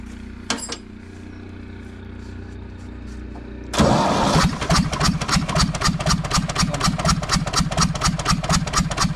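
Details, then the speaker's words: Universal 550 diesel tractor that showed blue exhaust smoke, stumbling and fuel leakage; the injector was checked and found fine. The engine catches and idles with a heavy, steady knock about twice a second. The rod bearing is worn, with up-and-down play. "kol yatağı kol yatak gitmiş aşağı yukarı oynuyor aşağı yukarı T pek bir şey yok ama to to to to to to tak ediyor değil mi tak tak tak"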